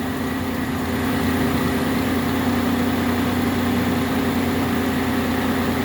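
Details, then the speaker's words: Engine idling on its first start after the battery was put in, headlights/daytime running lights on, during an alternator output test showing good voltage: smooth even low hum, no knocks, misses or whine; normal idle. "this is a first start too i just put the battery in and so that was pretty good that it actually learned how to idle that quick"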